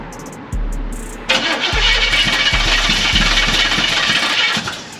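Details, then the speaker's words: Square-body Chevy engine restarted after distributor removal and inspection (distributor left loose): short crank, then uneven lumpy catch with irregular low thumps before settling; owner suspects timing is really off; oil pressure still poor (crank 10 under, standard bearings). "got action I want to say that it sound like the timing is really off"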